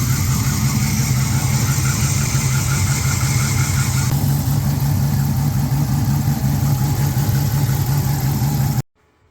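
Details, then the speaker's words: Mopar petrol engine idling after replacing a noisy idler pulley (found with a mechanic's stethoscope): a steady, even idle with a smooth low rumble, the previous pulley noise gone, no squeal, chirp or bearing whine. "start her up oh listen to that you hear it anymore cuz I don't I do not hear it anymore"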